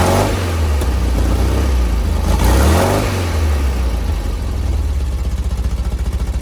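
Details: 1970 VW bus flat-four with dual 34 carbs, after tuning and fitting a CSP bell crank linkage; idle screws about two turns out, mixture one and a quarter out: brief blip, then a steady, even low idle without stumbling. Carbs balanced.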